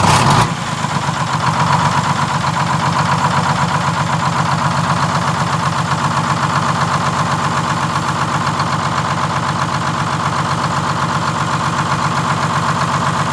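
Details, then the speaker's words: 1947 Silversides bus (Sages 3751) with a Detroit Diesel 6-71: the engine catches and settles into a fast, busy idle clatter that wavers slightly, hunting from a misadjusted governor buffer screw; the governor is being adjusted to get shutdown working. "i just want to make sure i get the hunt out of it real easy but you did did you notice that's what i was doing yeah oh yeah that's just the buffer screw"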